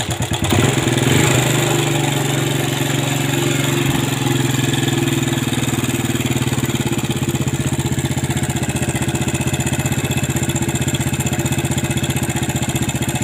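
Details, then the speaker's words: Yamaha Vega ZR single-cylinder, kick-started before teardown and service: idle with steady loose ticking, cam chain rattle, likely slack chain from broken tensioner; also smokes heavily white, exhaust blackened inside. "eh untuk penyakitnya untuk motor e Vega ZR ini ee bunyinya itu kemelitik terus ngasep ya ngasep ngasep parah"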